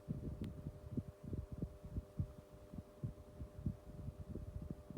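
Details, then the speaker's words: 1990s Tefal 12-inch desk fan, used, on lowest speed: low steady hum with a soft, uneven throbbing; the motor runs but carries slight extra noise. "So, that's the lowest speed setting. Motor's got a bit of noise to it, but sure we get that sorted out."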